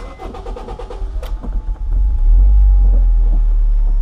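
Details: 2007 Honda Fit, previously a no-start, after its fuel pump module was replaced: a brisk crank of about two seconds, then the engine catches cleanly and settles into a steady, even idle, a normal start.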